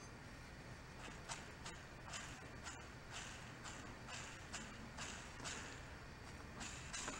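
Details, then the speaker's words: Ball bearing from a trash-found gas-engine-powered blender, spun by hand: gritty hissing growl in surges from damaged balls running over a damaged race or debris; bearing badly worn. "and those scratches are that white noise that you hear that growling is a ball with damage on it going over a race with damage on it or debris"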